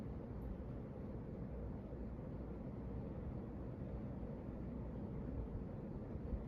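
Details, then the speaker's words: 1986 Hunter Original 52-inch ceiling fan on high, after oiling (previously oil-starved and hard to turn): soft, steady low whoosh moving lots of air, even hum, no ticking or rubbing; running smoothly. "yeah this thing moves some serious air"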